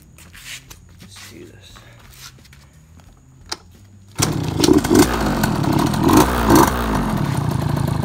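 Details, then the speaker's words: 2004 KTM 50 Mini Adventure two-stroke, first kick after repair: it catches after a few quiet seconds and settles into a steady, even, quiet buzzing idle. Fixes for low compression were a worn piston ring, new gaskets, and a cleaned carburetor and float; piston not yet broken in. "think of that work so quiet"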